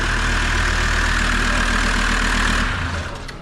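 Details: Land Rover Defender diesel, first start after chassis swap and new clutch, fuel system primed: steady, even diesel clatter at idle with a regular low thrum, then winds down at shutoff; healthy idle.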